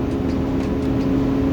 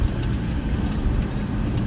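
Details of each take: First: 2009 Ford 6.4 Powerstroke diesel, fan commanded on with a scan tool at about 1200 rpm and raised: a heavy whooshing roar over the diesel, the sound it made while driving before the fan was replaced; fan clutch fully engaged. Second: 2009 Ford 6.4 Powerstroke diesel after fan clutch replacement: deep, steady diesel rumble near fast idle with no fan roar on top; normal idle with fan clutch disengaged.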